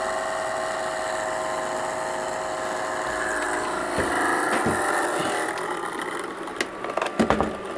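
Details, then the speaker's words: Aldi Adventuridge electric cooler repaired after internal power supply failure, running about 57–58 W: small cooling fan runs with a loud, rough whirr and steady buzzing tone; owner suspects fan is worn, not much life left. "noisy that's more what it sounds like it's worn I know don't have that much life left"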